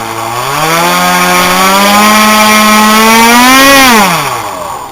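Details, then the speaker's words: RC X-Wing model: loud buzzing whine rising slightly with throttle, then spooling down; same motor and prop is quiet on a TIE Interceptor; owner suspects prop spinning too close to nearby airframe part; abnormal propeller noise. "i have the same motor and prop on my uh my tie interceptor and it's real quiet but this one here got a weird sound i think what it is is the props swinging so close to this part here and it's making like a weird stunt here"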